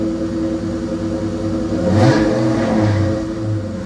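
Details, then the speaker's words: 1996 Ford SVT Cobra V8 after dealer repair of a crank-no-start: steady even idle, then a clean rev climbing smoothly and settling back, no misses or knocks; runs normally. "oh i've been waiting seven months to hear that thing run again"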